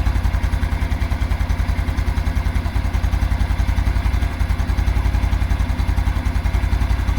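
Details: 2022 Honda Super Cub knocking at idle, seemingly from the clutch plate area; steady, slightly uneven low knock, three to four beats a second; goes away when revved, returns at idle, hot or cold; nothing feels loose.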